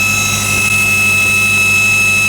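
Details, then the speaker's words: 1965 El Camino revived after years sitting, running well after a new fuel pump: smooth engine under a piercing, steady high-pitched scream that holds its pitch; source undiagnosed, owner wonders about timing or distributor. "Oh man. Jesus. That's ear piercing."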